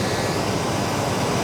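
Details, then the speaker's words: 1989 Chevy K1500, warm engine idling, new severe-duty fan clutch: a loud, steady rush of air through the condenser and over the engine as the fan clutch locks up, far more airflow than the old clutch; normal engagement. "and also the amount of air that it's blowing over the engine is already significantly more than what the old fan clutch was doing"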